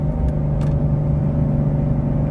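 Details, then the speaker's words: 2013 Volvo XC70 T6 at floored throttle: flat, steady low drone with no climb in revs; the engine bogs and won't pull. Owner fears it is boosting but not getting fuel. "It doesn't do anything. And I'm afraid it's just fry. I'm afraid it's just boosting up and it's not getting any fuel."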